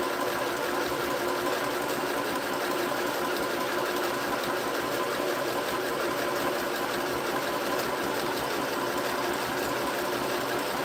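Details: Sewing machine (same model sold at Walmart and Temu), runs without the foot pedal once switched on; steady fast even stitching chatter with smooth motor hum, no catching, grinding or knocking; running normally.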